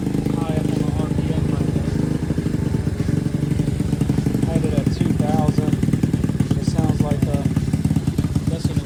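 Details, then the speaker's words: Boom Vader Grom clone small single with new Mikuni knockoff carb; idle sitting too high. Fast, even putter; high idle, carburettor needs tuning. "Still gonna have to tune this a little bit better. I don't like the way that it high"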